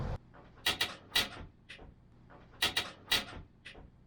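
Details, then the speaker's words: Forest River Georgetown XL Class A gas motorhome with Lippert (LCI) hydraulic leveling jacks: sharp high creaks and squeaks in short clusters as jacks move; fix suggested is fork oil. "And I've been hearing all over the internet about people that have this thing where the jacks like creak and squeak like this."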